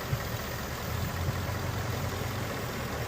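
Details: 2017 Ford Mustang GT 5.0 Coyote V8 idling, codes P0302/P0316, cylinder 2 misfire; cause unfound; uneven beat with an occasional dropped pulse every second or so.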